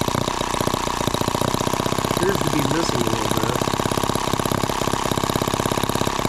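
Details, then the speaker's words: Microcosm H76 small engine on its first start: fast, ragged popping with missed firings; the spark plug was pulled and found soaking wet, drowned in fuel. "well there's our spark plug and yeah it's just drowned in fuel I wish I had a better way to show you guys but it's just I mean how it's soaking wet"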